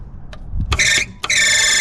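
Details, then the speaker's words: 2003 Club Car DS golf cart, engine seized after sitting about 3 years, starter powered directly with 12 volts: two bursts of high, clean electric whine with no engine turning; the starter spins free because the drive belt is loose, to be tightened. "all right that's enough so belt's loose we're going to go ahead and tighten up the belt and see if the starter can turn turn this puppy over"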